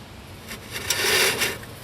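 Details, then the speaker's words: 2003 Chevrolet Suburban 5.3 4WD rear brake: harsh dry metallic scrape swelling and fading as the rotor is turned by hand; the pad has worn low enough to run metal on metal, scoring the rotor, before pad and rotor replacement. "That's where this pad has gotten low enough that it is starting to run metal on metal, and the back feels like it is all the"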